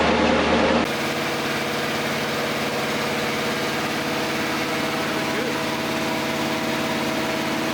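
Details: Newly built Ford 239 flathead V8 run-tested on an engine stand for leaks and unusual noise: steady, even warm idle lope with smooth low rumble, no knocks or ticks; passed, normal warm idle.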